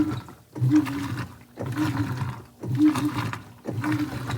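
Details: 2011 Whirlpool Cabrio Platinum top-loader (WTW8200YW0) on a sheets cycle with extra rinse, after bearing and basket-drive replacement. Slow agitation swishes about a second long with short pauses, no grinding or bearing rumble: normal agitation.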